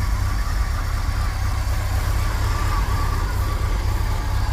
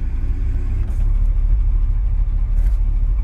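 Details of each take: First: 1980s Chevy K30 dually 4x4 dump truck, long parked, warming up on old gas after cold start; steady, even low rumble, no misses or knocks, settling smoothly; normal warm-up idle. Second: 1980s Chevy K30 dually 4x4 dump truck at idle, brakes applied hard; hydraulic brake booster runs off power steering pump, which loads and bogs the engine; deep idle sags briefly then steadies; brake pedal feels wrong; engine bogging under booster load.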